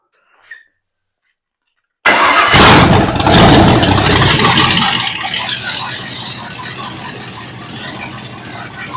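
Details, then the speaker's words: Ford 302 V8 budget rebuild on a stand after setting timing to about 12° and adjusting idle, vacuum 16 inHg: silence, then it catches and settles into a crisp, even idle with no misses or ticking. Runs clean and healthy. "It's really snappy. It's got around 12 degrees timing in it right now. And it had 16 inches of vacuum at whatever RPM it is. Sounds about right."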